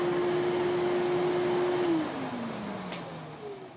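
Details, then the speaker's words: Old Victor V9 vacuum cleaner, long and probably heavily used, first power-up before refurbishment; steady high motor whine holding pitch then spinning down, sounding like an old pneumatic; normal running. "oh this one sounds like an old pneumatic that sounds very nice"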